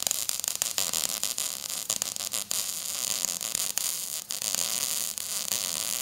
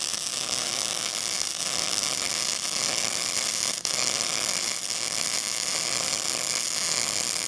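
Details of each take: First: MIG weld laid at an angle in a C pattern, dragging: steady frying hiss with occasional sharp spatter pops from hitting some spots; overall a decent weld with good penetration. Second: now what I'll do is I'll turn off the shielding gas you'll be able to hear the crackling and popping of this well without the shielding gas showing that it's not pushing any contaminants away ready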